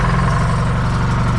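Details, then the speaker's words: John Deere 440 crawler, GM Jimmy 2-53 two-stroke diesel, 6V positive ground, after key switch, solenoid relocation and starter overhaul repairs: fast even buzzy beat, no misses or knocks; runs as it should. "it runs runs like it's supposed to I can even show even makes noise like a two stroke supposed to"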